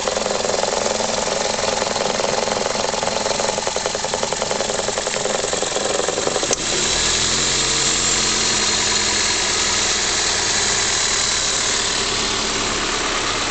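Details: 2004 facelift Toyota Corolla E12 with the 1.6 VVT-i 3ZZ-FE engine: uneven, rough idle with a loose, lumpy beat around three a second and a sudden shift midway; cause unclear.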